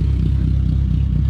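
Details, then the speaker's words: 2002 Pontiac Sunfire 2.2L with a newly fitted MagnaFlow muffler: deep, throaty exhaust rumble with a faint unsteady pulse; owner suspects an injector not pulsing right, running fuel cleaner. Slightly uneven running. "one's a little more deep as you can hear and it sounds like that injector is just not pulsating just right"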